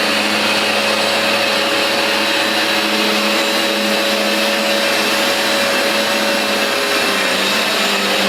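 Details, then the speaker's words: New replacement Vax Dual Power Total Home carpet washer shampooing then extracting on carpet: steady, even high-pitched suction whine with constant tone, no surging or rattles; normal operation. "all I'm going to do is go forward on this piece of carpet while releasing the shampoo by pulling the trigger and then I'm going to pull the machine back slowly with no solution flowing so I can just extract the dirty solution"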